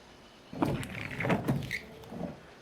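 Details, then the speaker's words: Windshield wiper sweeping glass with only a few drops of water, dust cleared: rough squeaking judder near the end of the stroke; wiper blade chatter. "Vamos ver aqui no final, ele está fazendo aqui no final. Ó, esse barulho."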